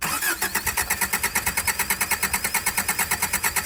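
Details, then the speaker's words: 1984 Subaru Brat (84 or 85) carbureted, sat about 10 years: steady cranking about three beats a second with no firing; 25 psi oil pressure, probably no fuel yet; cranks but won't start. "It's got 25 pounds of oil pressure. It's just cranking."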